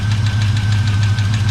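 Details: 1984 Chevy truck, revived after sitting dead two years, radiator cap off: light, sharp ticks about eight a second ride steadily over a low, even idle; the source was not pinned down.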